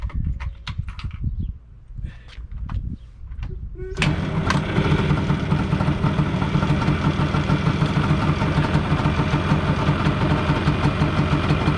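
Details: 1997 Yamaha Banshee two-stroke, pipes just restored to OEM stock exhaust, fires then settles into a steady, even burble with mild crackle, much quieter than the earlier grunty aftermarket pipes; normal idle.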